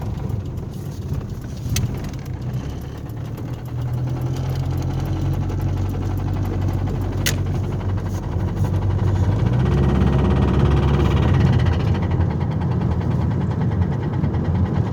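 Car engine under way with a deep, uneven knock in its low rumble, typical of rod knock. Cause suspected, not confirmed.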